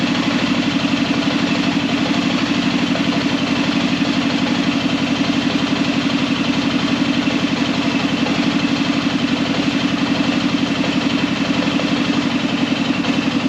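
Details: Arctic Cat Prowler engine just rebuilt with new pots (cylinders), first start after priming the carb: steady, even idle with a quick regular pulse, no knocks or misses; healthy and settled, though there is air in the system needing bleeding.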